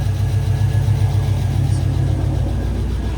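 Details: Abandoned Pontiac GTO project car, first run after revival, not yet warm: steady even low rumble at 870 rpm idle, 45 psi oil pressure, lifters quieting down, smooth regular pulses, no knocks or misses, quieter than expected; normal idle.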